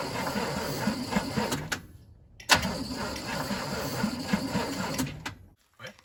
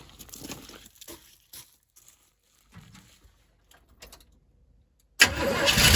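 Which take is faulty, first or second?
first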